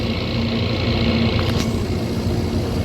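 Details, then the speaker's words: Daikin rooftop unit, 103 oz factory charge per circuit, old leaking distributor cap tubes; refrigerant recovery near the end at about 5 lb 9 oz pulled: steady low hum with heavy strained drone as the recovery machine struggles to keep up. "It looks like I'm only gonna get a little over 5.5 pounds. And that thing is struggling to keep up."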